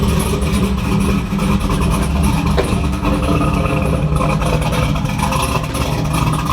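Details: 2002 Camaro SS with a freshly built LS engine, after the VATS security system was disabled via HP Tuners to fix a no-start: the engine fires and holds a steady, strong run with even revs and no stumble. Normal start and run.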